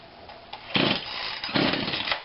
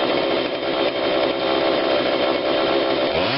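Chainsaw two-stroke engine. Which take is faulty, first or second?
first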